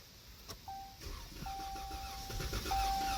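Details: Dodge Charger with a no-start and multiple-cylinder misfire (P0300): starter churns in uneven pulses about three per second under a dash chime but never catches; no fuel is first suspected, and a broken camshaft is found.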